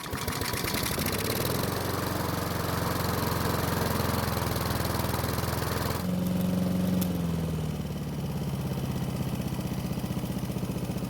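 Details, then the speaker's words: Honda mower that wouldn't start, with a non-working choke, after priming the engine with fuel: the small single-cylinder engine catches and holds a steady, even beat, settling slightly lower after a few seconds; it runs fine. "so the good news is that after priming the engine it not only started but it kept running"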